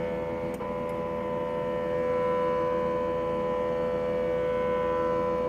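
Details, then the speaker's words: K&S 4526 wire bonder on power-up: a steady whine holds at one pitch for several seconds as the Y-stage motor drives to find its limits while initializing; normal homing. "And on power up, you're going to see that it will initialize. It takes a little while, but you can hear the motor turning."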